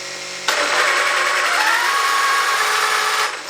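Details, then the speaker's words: Traxxas X-Maxx RC truck after a jump landing, powered up with three tires held: steady high motor whir spinning freely, truck won't drive, nothing sounds chewed up; owner suspected center diff, broken driveshaft. "yeah she don't go it doesn't sound like anything chewed up it's not like something's just straight smoked"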